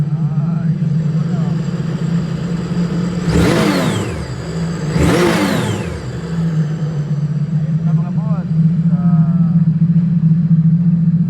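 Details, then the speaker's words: 2025 Sea-Doo RXP-X 300 after fitting a used replacement throttle: steady idle with two clean quick revs climbing and falling back smoothly, no stumble; revving normally. "Yan wala ng tiping mga boss. Tingnan natin kung may revolution na."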